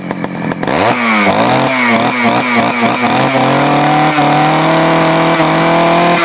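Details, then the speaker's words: Poulan 4200 chainsaw reported running a little lean, started cold and warmed up, low-speed screw and idle adjusted: several crisp throttle blips, then a clean steady high rev without bogging; earlier sound was muffled; normal running. "it ran pretty good model's hidden know what you said played around with it of course had to adjust the the idle"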